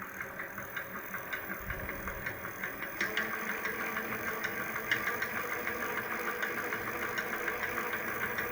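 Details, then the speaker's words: Electric hub motor (motor-wheel) at low speed under light throttle: sharp regular ticks, about three a second, over a quiet whir, silent when the throttle is released; knock of unclear cause, owner links it to winter low-temperature use. "звук в стуке мотор колеса. Сейчас продемонстрирую на малых оборотах. Отчетливо слышно."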